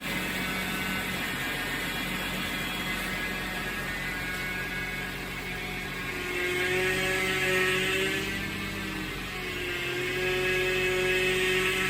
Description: Whining noise while turning the steering wheel. The steering fluid was leaking and it stopped once I added more steering fluid.